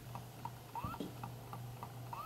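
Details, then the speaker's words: Seagate 1TB 2.5-inch external USB 3.0 hard drive (model SRD0NF1) on one PC USB port: faint ticking about three times a second over a low hum, LED not flashing, drive not recognized; it works on another USB port. "is not working as you can hear there is a sound and the LED is not flashing as it's supposed to be this is the sound made by the hard drive the ticking sound"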